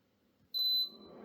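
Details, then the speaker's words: Germanica portable induction cooker switched on with no pan: one short loud high beep then cooling fan winds up; refuses to heat, no pan detected. "heating immediately not happy no pot makes sent"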